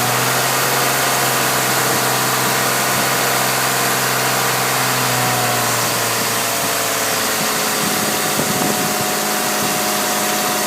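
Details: Engine idling, then revving near the end, with a sharp puffing tick that quickens with revs; leak found using Seafoam, owner plans new equal length headers; exhaust leak.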